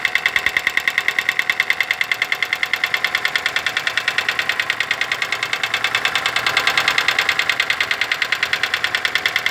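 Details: Daewoo Lanos: fast even light ticking about three per second over a smooth idle, noisy hydraulic valve lifters.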